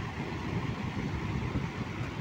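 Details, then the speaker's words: Table fan running after home-rewound coil fitted: steady even air rush with low smooth hum, no ticking or rubbing; spins at good speed, normal running. "দেখুন বন্ধুরা কীরকম স্পিডে ঘুরছে, আপনারা শুধু দেখে নিন।"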